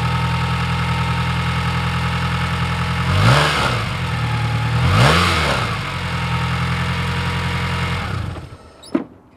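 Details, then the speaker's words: 1996 Toyota Camry, first start after a month-long timing belt and water pump replacement, with the alternator disconnected and no coolant. Cranks, catches, blips twice and settles to a steady idle; owner felt it ran rough, likely from sitting. "i would call that a success yay thing hasn't run in over a month and now the beast is back"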